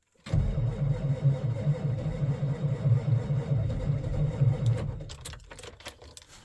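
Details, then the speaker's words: Diesel truck that sat outside in cold winter weather, battery voltage dropping to 10.8 V while cranking with the clutch in: sluggish, uneven starter chugging that never catches and fades out; batteries too weak to spin the diesel. "Turning over way too slow. Again, hit the charge protect. I'd like to see that number over 11."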